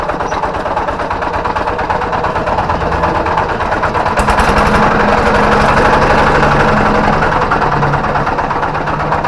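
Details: Kubota G3000 diesel tractor idling; it starts easily, power and compression are good, and the fan bearing is fine. Harsh, uneven knock, about three per second. Suspected flywheel-side bearing or plate; the worn flywheel bearing is blamed for the rough sound.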